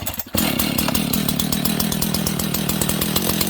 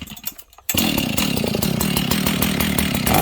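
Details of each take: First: Husqvarna 61 chainsaw with a worn clutch and loose chain, idling too fast: fast, even two-stroke idle with a steady chain rattle; the clutch grabs at idle and spins the chain. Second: Husqvarna 61 chainsaw after leaning out the low-speed jet, clutch still somewhat worn but better: catches quickly and holds a steady, even two-stroke idle with the chain brake on and chain still; clean, settled idle.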